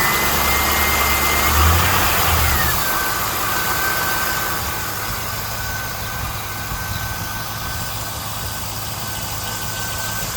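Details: 2001 SS LS1 V8, manual transmission, 109k original miles, engine never opened, has always sounded like this: after revs drop, steady idle with quick light even ticking over engine note. Valvetrain ticking; lifter noise or normal sewing-machine sound unclear.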